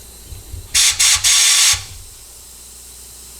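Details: Ford F100 400 engine after rebuild, engine off, cooling system pressure test: a sharp hiss of escaping air in three short bursts, foaming at the water pump area; leak past the head gasket, engine must come back out.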